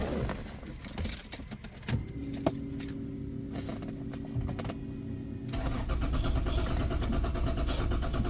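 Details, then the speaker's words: Mercedes-Benz W124 with a 1JZ distributor engine: starter cranks steadily for a few seconds but it never catches, no spark; ECU found full of water, cleaned and refitted, likely shorted and needing replacement. "ไม่ติดกล่องน่าจะพังไปแล้วนะน่าจะช็อตก็เดี๋ยวต้องหากล่องใบใหม่นะ"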